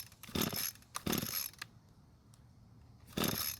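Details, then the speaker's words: Curbside-found Echo two-stroke string trimmer, kill switch on and purge bulb primed: three pull-cord rasps and the engine never fires. "so it didn't even try and start now there's either no fuel getting to the engine which means we have a carb issue or there's no spark getting to the plug"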